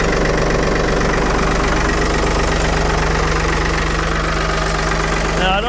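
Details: 1975 Ford 550 backhoe "Big Mo" cold-started after repair, in neutral, fires up like a banshee and holds a loud, steady low idle with an even beat, no knocks or misses; normal idle.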